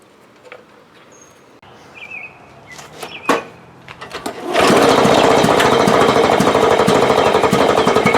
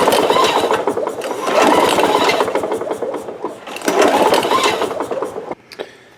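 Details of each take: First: Lawn Boy mower that had no spark, after replacing the failed ignition coil: fires up after handling noise and settles into a steady, even, quick beat, running cleanly; normal running. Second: Lawn Boy mower, no start: repeated hard recoil pulls, engine spinning over with quick uneven ticks but never firing; spark test on known good plug shows no spark, coil to be checked.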